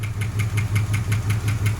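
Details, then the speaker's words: 1976 Dodge Dart 318 V8, mileage unknown, first start after sitting long with a new battery and cleaned corroded cables: rapid sharp clacking, five or six ticks a second, over rough idle; owner suspects a collapsed lifter, a noise never heard before. "we threw in this one fired up but now that the dart has sat for so long we have noises that aren't super happy which this engine has never actually made any noise like that before"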